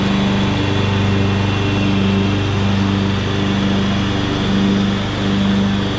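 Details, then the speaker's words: 2014 Ariens (Husqvarna) 42-inch-cut riding mower, revived from scrapyard parts machine, mowing: small single-cylinder pulling steadily under cutting load, even pitch with slight load swings; runs healthy, only needs a couple of small things. "this mower turned out really good it's it's running good it just needs a couple little small things"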